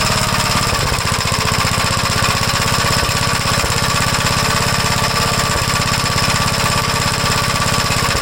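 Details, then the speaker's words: 1956 Gravely L single-cylinder engine runs fast and loud with uneven beats and hiccups after adjusting the valves and the carburetor; it runs a little better but still rough, and a valve problem is suspected. "well it's a little bit better I have a feeling something going on with the valves"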